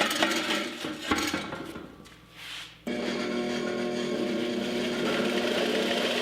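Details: Multitool 4x48 belt grinder (1 HP, 120 V) with a replacement motor. After some clatter it settles into a steady, even whir with a constant tone and no knocking or rubbing: normal running.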